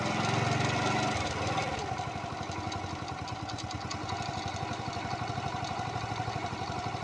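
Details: Honda Pop 100 small single-cylinder at idle: steady tick about four times a second over the exhaust; unexplained engine noise.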